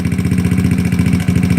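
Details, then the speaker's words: GY6 scooter, engine warm after a ride, idle being adjusted: slow chugging idle pulses with a hitch and a fading beat, stator visibly slowing; the engine is starved lean and stumbling. "cutting just like it's always on his last breath Alma sighing yeah you can see the stator right there you can almost see it slowing down I'm starving the engine now"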